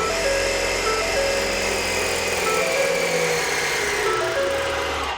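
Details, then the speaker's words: Air Lift Load Controller II compressor on a 2013 Ford F-150, kicking on at key-on after air bags deflated below 5 psi minimum; steady buzzing whir for about five seconds, then winds down as it auto-shuts off at 5 psi; normal compressor operation. "once it gets to that 5 psi minimum it automatically shuts off"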